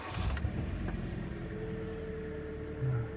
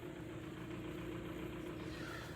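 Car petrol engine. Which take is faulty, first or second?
second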